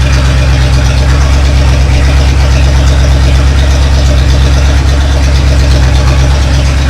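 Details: Freshly rebuilt Chevy 283 V8 just installed in a 1965 Nova Wagon, first start: loud, raw, lumpy idle with heavy rumble and uneven pulses because one exhaust side is uncorked/open; needs exhaust shop fix.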